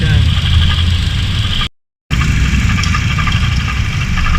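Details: Engine at steady idle, temperature not rising, diagnosed with a hose stethoscope: faint gritty whir riding high above the engine note, coming and going; noise persists after water spray ruled out belt, rough alternator bearing.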